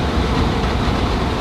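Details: DIY shop fan from a recycled HVAC squirrel-cage blower with airflow damper, switched from low to high setting: loud, steady rush of air with a low, even drone that cuts off cleanly; blower running normally on high.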